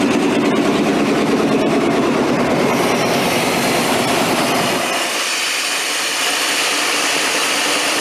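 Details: 3/4-ton 4WD square-body GM Suburban, long off the road, after jiggling the ICM wire: engine catches and settles into a steady, even run with busy mechanical clatter on top; starting and running normally, thermostat not yet open.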